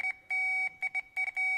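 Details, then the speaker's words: Jeep YJ-based Willys Wagon that stopped running, fuel pump suspected. A Power Probe checks continuity through the pump plug wiring, giving a clean mid-high beep in short and long bursts that confirms a full connection; the pump later stayed silent on 12 volts. "and that's a good sound that tells me that I'm getting a full connection all the way through all the wires"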